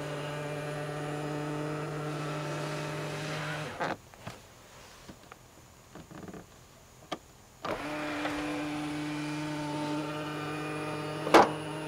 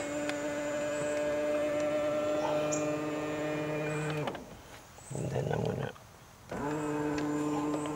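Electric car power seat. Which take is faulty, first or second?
first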